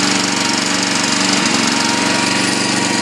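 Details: Honda 5.5 engine on a used log splitter after welding repairs and tank cleanout: loud, steady clatter at constant speed with faint even tone, no misses; healthy engine.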